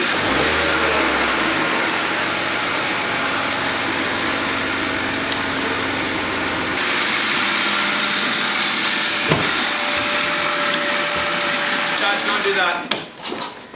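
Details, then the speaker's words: Wrecked BMW E36 328i convertible six-cylinder: starts and settles into a steady, even idle, no knocking or ticking. Normal running; internals not yet checked. "the engine is clean well we don't know we need to pull it down but it starts it's not sticky it sounds good it looks good"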